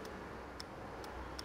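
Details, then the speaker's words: 2006 Opel/Vauxhall Astra 1.8, relay tested by powering pin 85 with fuse feed on pin 86: four sharp, crisp clicks, relay working; normal relay click. "can hear the relay clicking as well so that's good you can actually feel the relay clicking there"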